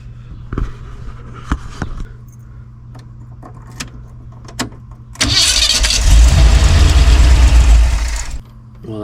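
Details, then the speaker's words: 1976 Ford E-250 just after swapping its Holley carburetor for an Edelbrock, primed with two shots of fuel: a few clicks and cranking, then it stumbles, barely fires, runs roughly for a few seconds and dies. Hard start. "that wasn't impressive. Okay, give it a couple more shots and hit it again."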